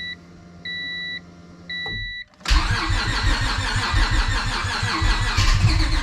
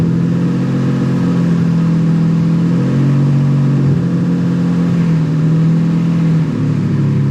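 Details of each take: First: Civic with nitrous stroker V6 swap, new ECU with base map tune just loaded, battery slowly dying: beeps then uneven cranking with stumbling catches, never idles, throttle tried. Owner suspects the base map. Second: Civic with nitrous stroker V6 swap, after ECU and tune troubleshooting, coolant lines not connected: steady idle, lower than before, deep even hum, slight wavering pitch, no misses; idling smoothly.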